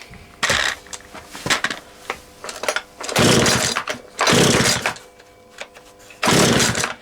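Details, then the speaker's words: Husqvarna 236 chainsaw, first run after being reassembled (previous owner took it apart when the chain got stuck in a log and couldn't rebuild it); has good compression; crisp two-stroke revs in sharp bursts dropping to steady idle, sounds like a little dirt bike; normal running. "Tell you what, it sounds like a little motorbike. Sounds like a little dirt bike, that does, doesn't it?"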